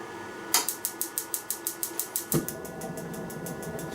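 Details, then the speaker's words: Ryobi P3180 18V hybrid propane heater (battery or 110V cord) firing up: rapid even igniter ticking about five per second, ignition button held a few seconds, then soft whoosh as burner lights; normal, fairly quiet igniter clicking. "find that I have to hold the ignition button down for a couple three seconds to get her going one thing you'll notice is it's not very loud at all"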